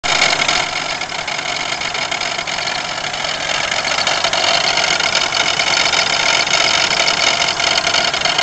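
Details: 1992 Pontiac Grand Am 3.3 at idle: a harsh, gritty grinding rattle with uneven chatter from the front of the engine. Owner suspects the harmonic balancer, not certain.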